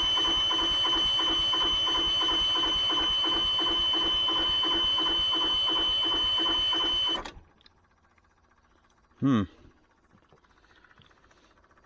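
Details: Newly installed truck APU, first start attempt, fuel pump on a replacement toggle switch; shrill steady buzzer with fast flutter for about seven seconds, then cuts off: alarm on start, cause unknown.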